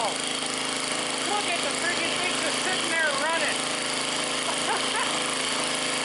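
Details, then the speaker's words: Old scrapyard Briggs & Stratton generator engine, owner guesses late 70s or early 80s, just started on choke after oil change: steady, even drone at constant speed, no misses or knocking; runs healthy, generator output not yet tested. "Running like $1,000,000. Well, that thing just totally blew my mind, man. First the engine wasn't blown up, next the carburetor even works."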